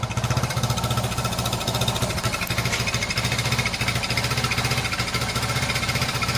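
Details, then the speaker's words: Restored Honda XL100S on a cold day with a new genuine exhaust and newly replaced rear light lens; a light metallic rattle from the loose rear light rides on each beat of the lumpy cold idle. "Got a little rattle from the back light."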